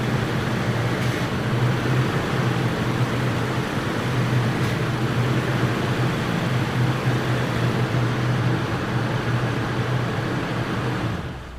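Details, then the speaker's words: 2019 Toyota Tacoma TRD with TRD Fox shocks, wheels turned in the driveway: only a steady low engine hum, no pops or clunks. The front end is unusually quiet; the popping was suspected to come from the front diff frame mount, whose bushings looked fine. "honestly it's never been that quiet that was pretty crazy um usually there's a lot of other racket going on"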